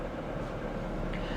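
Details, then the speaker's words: Totaled low-mileage Chevy Spark, 11,778 miles, transmission goes forward and backward: steady smooth low drone at idle with no ticking, knocking or squeal; engine sounds good, normal idle. "what is good is the engine sounds good the transmission goes forwards and backwards"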